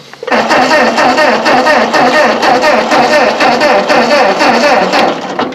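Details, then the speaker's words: Ford 8N tractor cranked in neutral after refitting the old copper-core spark plug wires: starter churns in a steady, even rhythm for several seconds and never fires; no fuel reaching the carburetor, with a dry line despite the tank shut-off valve. "That's just almost like it isn't getting no fuel. And I checked earlier because it's got a shut-off valve on the fuel valve coming out of the tank."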